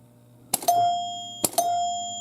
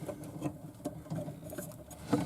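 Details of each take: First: 1977 Williams Lucky Seven pinball machine, trying to start a game without a ball: two clean bell strikes about a second apart, clear and sustained with sharp attack; chimes working properly. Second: 1977 Williams Lucky Seven pinball machine chime, old unit before repair: plunger dragging on the metal, so a strike gives a flat, short clack dying almost at once instead of a ring.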